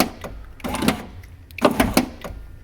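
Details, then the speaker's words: BMW E36 convertible power window stuck down, motor working, glass still in its tracks, white lithium grease applied: short bursts of motor whir with a crunching, clicking grind as the glass rises about an inch and jams. "So this is all it does, and then it stops. It just gets stuck right there, and I can't figure out what is going on. And you can hear like a weird crunchy noise."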